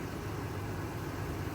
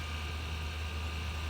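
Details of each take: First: Supercharged Range Rover bought from Copart, hood open at idle: low, even, quiet hum with no ticks or knocks, very smooth; a faint hiss, possibly a vacuum leak, is suspected. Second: Supercharged Range Rover 4.2 V8 at first start-up: smooth low idle with a faint constant high-pitched whine from a belt-driven accessory whose source is not yet pinned down; accessory whine at idle.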